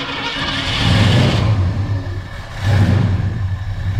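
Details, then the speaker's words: 1981 Ford F100 289 V8 on first start after installing an Accel points eliminator, with timing set: two clean throttle blips and a steady rumble between them, no misfire; sounds healthy. "There you go. Little old 289. Sounds pretty good."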